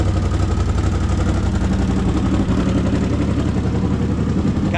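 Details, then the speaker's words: CFMOTO Z-Force 800 side-by-side first started after fixing a loose starter cable lead: lumpy, uneven idle with loose puffing rhythm over a low rumble; idles rough, possibly a small exhaust leak, cause not confirmed. "kind of idling a little rough, but that's to be expected."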